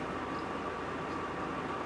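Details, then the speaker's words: Replacing an 8-year-old electric hot water tank: filling from the cold supply while opening the pressure relief valve to purge air until water comes. Constant airy hiss with a thin steady whistle; normal purging, no leaks at the SharkBite fittings. "okay i'm going to let the air out while it's filling until i get water coming still lots of air all right letting it fill"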